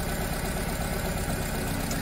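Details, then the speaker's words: Nissan Tiida/Versa misfiring with no fault code, injectors and coils under the intake manifold: a lumpy, uneven idle with a steady low stumble; cutting injector 4 with a scan tool changes nothing, so cylinder 4 is dead. "see nothing is happening injector number four i disable it again is happening to the engine performance so the problem is from cylinder number four"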